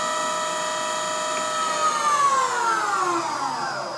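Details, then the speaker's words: Bridgeport Romi EZ Path S 17x40 CNC flatbed lathe spindle at 3,000 RPM then dynamic braking: clean steady high whine with no grinding or rumble, smooth pitch drop as it brakes; bearings sound good, normal. "What's the RPM now? 3,000 RPM. 3,000 RPM. Hear the bearings sound good?"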